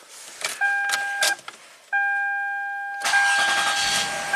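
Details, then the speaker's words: 2003 Toyota Camry V6 with a complaint of long cranking after about an hour's hot soak (vapor lock suspected); door chime, then a short crank on a warm restart that catches at once and runs smoothly. Normal warm restart. "normal start okay just like the customer said so customer complaint confirmed"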